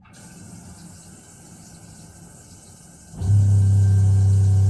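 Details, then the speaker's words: 12-volt pressure-sensing water pump on a widebeam boat, bow tank, 25 psi with accumulator: quiet until a tap opens, then steady low hum; pump kicks in on demand and switches off when tap closes. "there you can hear it. Now when I turn the tap off, the pump switches off."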